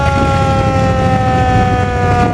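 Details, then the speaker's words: 1947 Ford fire truck, hard to start, running: a steady, piercing siren wail holds an even pitch over the low engine rumble. The siren works properly. "And the siren, you heard it. It does work."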